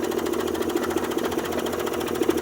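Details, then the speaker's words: Yamaha 90 HP two-stroke outboard running on a hose, idle set between about 600 and 700 rpm; an uneven, lumpy idle with irregular knocks and stumbles over a buzzy drone, as if running on two cylinders; limp mode suspected, cause not found. "So it's not sounding too good right now. Let's get it out a little bit and see what it sounds like. Whoever the gentleman was that said it sounds like it's running on 2 cylinders, that's what I'm hear"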